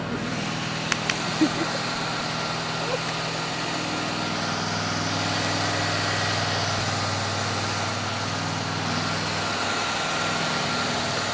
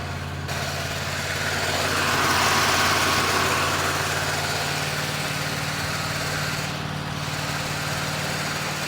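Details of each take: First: 1972 Chevelle left abandoned 24 years, cold start: steady V8 drone at a fast, even idle with no knocks or misses; idle set too high and being lowered. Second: 1972 Chevelle V8, revived after 24 years abandoned, cold start with the throttle pumped while cranking: fires up to a steady, even low rumble with no knocks or misses.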